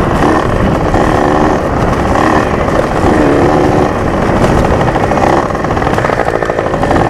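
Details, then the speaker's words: Junkyard Yamaha PW80 two-stroke dirt bike after rebuild with carb kit and Boyesen reeds, during break-in ride: rough, ragged note stumbling under throttle, bogging so badly only first and second gear usable; owner suspects fuel mixture or a vacuum leak. "as you can tell from the video the thing bogged really bad like I didn't even you have I wasn't even able to use their gears only first and second"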